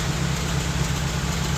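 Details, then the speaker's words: Toyota Corolla Twincam liftback gen 2, exhaust at idle: steady even low burble with no pops or misses; idle stable, engine healthy. "kita dengar suara mesinnya juga dengar knalpotnya nggak ada letupan atau kadang-kadang adat nggak ini stasionernya stabil"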